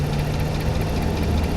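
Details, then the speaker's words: High-mileage (325,000 miles) Ram 1500 Hemi pickup at idle: deep, steady, even idle with no tick or knock; the noise heard earlier is gone and the engine purrs smoothly. Normal idle. "She is purring like a kitten, and that noise that I heard earlier, I don't hear it anymore."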